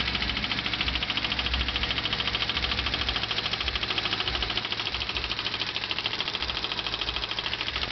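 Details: Honda Civic D15B7 engine idling with fast, even, crisp metallic ticking about 160 a minute; clicking noise, cause not identified.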